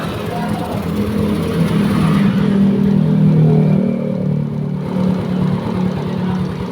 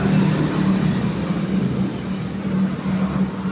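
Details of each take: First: Yamaha Mio scooter after rebore with new parts and racing cam, still noisy; cam too extreme, replaced with standard cam; now runs smoothly with even low hum, no tapping or rattling. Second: Mio scooter after a rebore, fitted with an overly aggressive RRA racing cam: good acceleration and top speed, but a rough busy valve-train clatter. Replaced with the standard cam.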